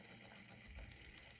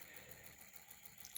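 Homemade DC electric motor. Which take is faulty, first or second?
second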